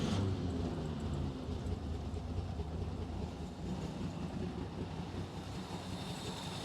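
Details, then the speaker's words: 1953 Chevy 3100 half-ton with 235 six-cylinder and 4-speed manual, revived after years sitting on a farm: steady low, slightly uneven rumble with no knocks; fuel leaking and carburetor problems, but it runs normally. "nonetheless though it does run which is super awesome"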